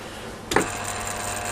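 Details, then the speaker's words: Rebuilt and upgraded Fukner FU-400 antenna rotator: one crisp clunk as the rotator stops five degrees over and the brake drops back onto the brake pad, then a steady low hum. Normal brake engagement. "there we are five degrees over you heard the brake go again"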